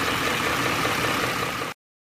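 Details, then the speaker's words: Ford 5.4L 3-valve V8 at hot idle with cam phaser knock: a dense, rattly knocking carried down the pipe, loudest near the torque converter though it is not torque converter knock. "it sounds the worst in this area right here by a torque converter and you may think it's Tor converter knock but it's not it's coming down the pipe here"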